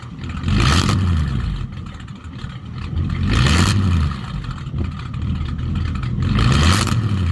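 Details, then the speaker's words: 1951 Mercury with Rochester 2-barrel carb swap, mufflers deleted for straight dual pipes; loud, deep, open exhaust bark rising and falling through three quick revs; owner notes carb seems to run a bit out of fuel, needs tuning. "sounds like the car rakers running out a little bit out of fuel too so a little bit of tuning but it's not too loud inside at all very Crucible noise level"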